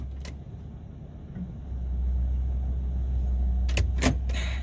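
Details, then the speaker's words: 2000 Ford Excursion Triton V10 after spark plug and ignition coil replacement, idling once warmed up after revving: low, even rumble under door and key clicks, nice and smooth, no misfire. Normal idle. "yeah that's that's better let's see here oh that's nice and smooth"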